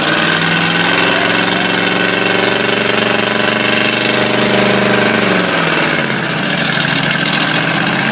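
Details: Ford 351W V8 with a spun rod bearing run hard: heavy rapid knocking hammering with engine speed as revs fall, coolant spraying and burning on top of the motor; classic spun-bearing rod knock.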